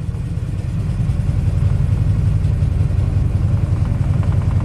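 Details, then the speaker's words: 1996 Ford F-250 7.5L big-block V8, freshly rebuilt with new pistons, rings and cam after a head-gasket coolant leak. Deep, lumpy, stumbling idle that stalls when revved; it runs rich, floods, and shows no compression. Cause unknown. "really rough you rev it up and it stalls out it's like it has no compression is it flooding itself out or this engine is fresh from a rebuild who knows"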